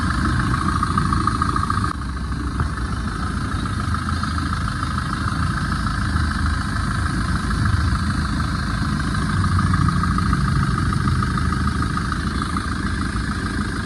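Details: 2011 Tata Vista diesel, 124,000 km, idling after repair (timing chain, water pump, AC compressor bearing replaced, intermediate shaft bolt fixed): even low clatter with no knocks, rattles or whine, running healthy.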